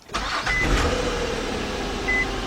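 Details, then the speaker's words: 2004 Nissan Maxima 3.5 with P0171/P0174 lean codes, after intake reinstalled: starter whirs briefly, engine catches cleanly into even idle with no misfire or stumble; normal engine start. "good. Alright, let's I'm gonna warming it up a little bit."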